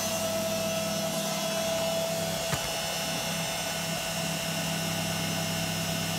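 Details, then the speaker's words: Beko WM5100W washing machine brushed motor back in machine after commutator skimmed on lathe and emery-finished: even whir, faint steady tone, no grinding or arcing crackle; seems quieter, normal running. "so it seems a lot quieter to me what do you think is it worth it"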